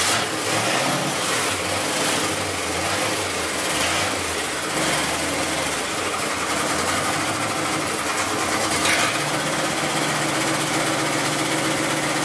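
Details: Basket-case GMC V8 run after the spark problem was traced to unchecked plug wires and the correct carburetor gasket was fitted: a steady, even idle with no hiss or hunting, warming up. Normal idle.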